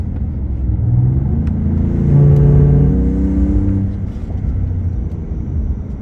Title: Ford Raptor Gen2 loud air rush/power loss and now humming/grinding noise while accelerating